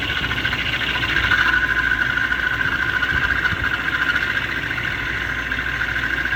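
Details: BMW M73 engine at a smooth idle with a thin, steady, high-pitched whine on top, like a pump running. It comes and goes every few minutes as if a pump were starting and stopping. Source not pinned down.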